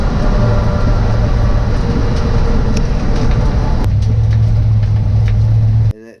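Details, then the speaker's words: Billet drag-race engine at full throttle on a pass at Bradenton Motorsports Park: loud steady drone, note shifts louder after the gear change; engine went lean, injector failure suspected, motor hurt, fuel pump fine. "Somewhere right after the gear change, you'll see it, and it changes notes, and you'll hear it get louder."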